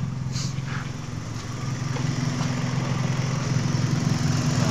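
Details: Toyota Vios G that raised its own idle to about 2000 rpm, traced to a faulty coolant temperature sensor: warm idle around 94–95 °C, fan not yet on, a steady even low hum with no hunting or surging; idle healthy.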